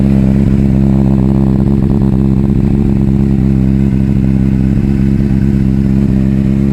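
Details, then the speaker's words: Triumph TT600 salvage bike, first start-up: loud uneven idle with ragged, irregular pops, misfiring. "so actually drawing that test the entered limp mode as if it was only running on two cylinders"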